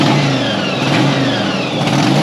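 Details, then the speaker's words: 1983 Yamaha XV750 V-twin, bought non-running, first start: uneven, ragged, stumbling revs that never settle; owner suspects leaky, overflowing carburetors are flooding it and filling the cylinders with fuel, and plans a carb rebuild. "running but not very well and there we go all right so things are listed to splat pog leads and i think i need to rebuild the carburetors it sounds like they're overflowing and they're flooding it"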